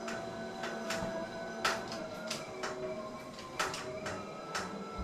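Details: Wahoo KICKR Bike being pedalled: irregular sharp creaks and clicks about every two seconds over a quiet flywheel whirr; creaking noise, cause unclear.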